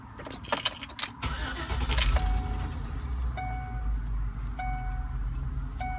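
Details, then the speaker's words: 2005 Chevrolet Tahoe, about 160,000 miles, after fuel injector cleaner for rough idle and stalling: brief crank, clean catch, even idle with chimes beeping; normal smooth start. "smooth start like I'm used to so I'm liking that already so we'll let that run for uh for a good five minutes"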